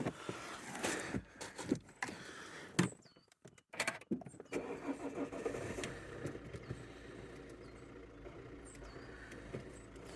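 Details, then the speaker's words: Suzuki auction car after repair of a non-charging alternator fault; engine catches after brief crank and settles into a slightly lumpy, stumbling idle, suspected from low voltage on the old undercharged battery, not confirmed. "A bit lumpy, but the voltage is probably a bit low on the old battery from it not charging."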